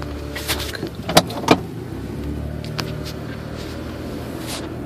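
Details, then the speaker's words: Toyota Tacoma driven at parking-lot speeds up to about 45–50 mph, phone in console: sharp isolated pops like distant gunfire over low road noise; steering rack bushings replaced without effect, ball joint recall done, source unknown. "it's that pop in it's not the squeak squeak is my seat let that pop pop pop pop that right there sounds like a little you know what it sounds like it sounds like you're at the range and when you hear the rounds going off you know a little bit in a distance"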